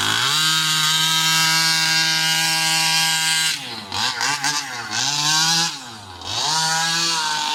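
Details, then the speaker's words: New Rovan 36cc double-ring two-stroke in a King Motor Baja 5B: steady high scream, then pitch sags and stumbles on each pull-off before recovering; weak pull like a 26cc, owner unsure if the exhaust is holding it back; leaning it out made it worse. "That really didn't pull well at all. So I don't know if it's the exhaust holding it back, but as you could see, the pull away is like a 26cc."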